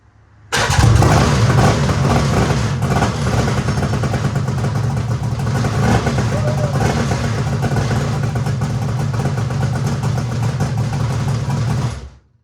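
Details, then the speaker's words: Two-stroke mini jet boat engine, running for the first time after misrouted carburetor fuel lines were corrected so it pulled fuel; catches cleanly and settles into a steady, even run with a strong low drone, no misfire: normal running, and the kill switch works. "All right, kill switch works, too. That's good. Sweet. Freaking thing runs for the first time ever."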